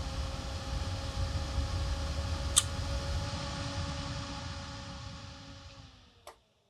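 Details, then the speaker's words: Abandoned roughly 20-year-old Dell Dimension E520 Windows XP PC booting: fan starts quiet, then steady whirring roar grows louder until it overwhelms the microphone, dropping away when switched off; fan flat out as the tiny copper heatsink and poor airflow let the CPU overheat. "I can start to hear the fan. It's getting louder. Still booting up. It's getting louder and louder."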